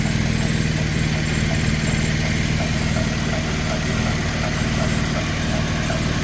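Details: 2012 Chevy Impala police edition, 3.6L V6, after serpentine belt and tensioner pulley replacement: steady even idle with smooth low hum, no belt squeal or chirp; sounds healthy.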